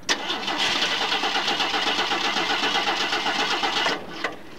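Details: Ford Maverick cranking but not starting: starter spins the engine in a fast even churn for about four seconds, never fires or catches, then cuts out.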